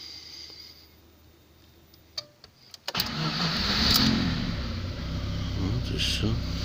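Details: VAZ 2112 with StarLine A9 alarm that failed to start by key or autostart, starter relay fault: relay clicks, then engine cranks, catches at once and settles into steady idle; clean start.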